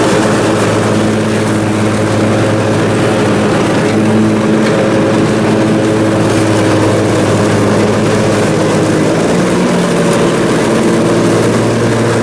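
Steady, even engine drone holding constant speed while mowing, no hunting or surging; twin is running smoothly and healthy.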